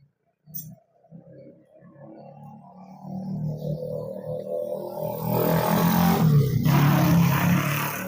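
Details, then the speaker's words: Honda Scoopy scooter with a 7-fast-blink MIL fault traced via the EOT sensor, after refitting the connector: engine catches and runs steadily with no misses or knocks, and the MIL no longer blinks. "Nah, sekarang sudah nyala ya. Lampu mil kedipan sudah hilang ya."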